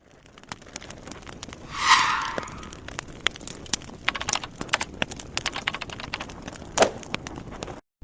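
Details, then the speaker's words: Ford Fusion trunk lid: one drawn-out rising creak as the lid swings, then a short chirp among light clicks; squeaking dry trunk lid hinges. "як старі двері скрипить зараз будемо виправляти це зовсім не діло цей скрип мене просто добиває"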